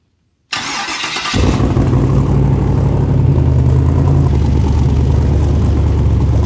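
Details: LS3 V8 rock buggy start with owner's tune; cranks, fires within a second, settles into steady even low idle rumble; ran and idled okay, better than before; a minor leak and low transmission fluid noted.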